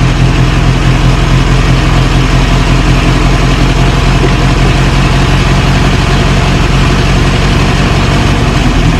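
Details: 1937 Morris 8, 918cc pre-war engine, just started on choke during recommissioning: even, steady low chug at idle, no misfire, knock or tapping; oil pressure about 60-75 psi, idling healthy.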